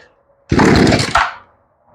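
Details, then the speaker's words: Poulan Wood Shark two-stroke chainsaw, long stored outdoors, after replacing carburetor, fuel lines and filter, primed, air filter off; sharp half-second crackle that dies; brief firing on first start. "Okay, I heard a little bit of a kick there."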